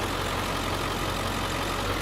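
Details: 2003 Ford Excursion Limited, 7.3L Powerstroke diesel, idling: a steady, even clatter and constant drone with no knocks, misses or surges, and no smoke. It sounds healthy.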